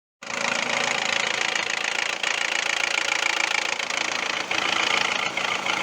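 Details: 2002 Toyota RAV4 engine at idle: sharp, even knock about four per second, oil starvation from a clogged oil pan pickup screen; cleaning the screen and changing oil and filter cured it for over 2,000 km.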